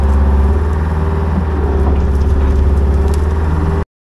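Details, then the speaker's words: Old budget diesel excavator after priming the fuel system with the electric pump: runs better but with a lumpy, uneven beat, about three to four pulses a second, never smooth; owner suspects remaining fuel issues. "all right so it's definitely running better but um I still think there's some fuel issues going [Music] on"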